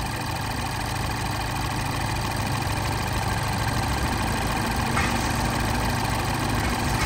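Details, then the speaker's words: 2012 Mini Cooper S idling with A/C on, gauges attached, compressor discharge around 115–125°F; a rising rush of air joins as the electric condenser fan kicks in at about 125°F and 200 PSI, lowering condenser temperature and pressure: normal cycling. "and there I hear the I can hear the fan kick in and as the fan kicks in it lowers the temperature and the pressure of the condenser"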